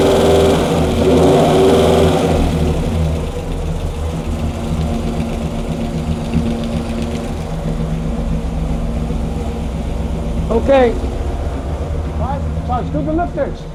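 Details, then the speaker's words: 426 Hemi V8 on a dyno, warm, after a bad piston was replaced, timing about 34°: steady, even idle lope that revs up cleanly with no lifter tick or knock; quiet, healthy idle and rev. "it's good it's it sounds good yeah it's quiet"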